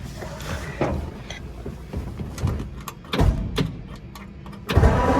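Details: 1947 Ford engine cranking after a melted battery cable was replaced with a new one: uneven mechanical clatter and thumps as the starter turns it over normally without firing yet, before priming the carburetor. Normal cranking.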